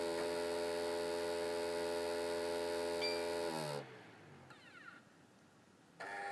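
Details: Xbox 360 Slim with Hitachi DVD drive: steady low buzzing growl with grinding that winds down, goes quiet, then restarts; optical drive growling noise.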